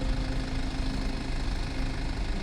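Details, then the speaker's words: BMW G21, about one year old with over 20,000 km, parked and idling with cooling fans whirring nearby: steady, even low engine hum, smooth and quiet with no knocks or misses; normal idle. "Écoutez, cette voiture roule silencieusement,"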